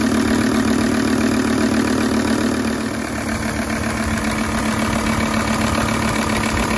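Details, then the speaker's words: High-mileage Volvo S80 project car, no dashboard warning lights, starts first time every time and pulls well; engine catches right away and settles into a steady, even idle with no knocks or misses: normal start and idle. "the engine starts first time every time it pulls really well"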